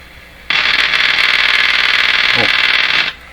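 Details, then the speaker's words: Hallicrafters TW2000 World Wide receiver during IF alignment, outdoor antenna just connected: harsh hissing roar with a quick flutter about four times a second through the speaker; noise suspected to come from the faulty outdoor antenna, not confirmed. "well, that's where that noise is coming from."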